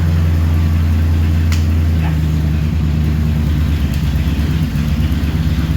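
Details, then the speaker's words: 1964 Ford Galaxie first start after 30+ years sitting, exhaust removed: smooth even low idle rumble, no valve train ticking; idling healthy. "it's idling right now not even any bount train noise sweet"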